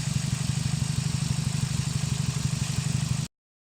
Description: SOLVED: Bad coil pack on 4th cylinder causing plug not to fire.